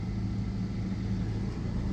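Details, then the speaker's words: Old Kia Soul, after replacing a rotted exhaust pipe and manifold studs: low, even engine hum, exhaust quiet with only a barely audible leak remaining near a bracket. "It was horrendously loud with that pipe rotted out. Yeah, you can barely hear that exhaust leak."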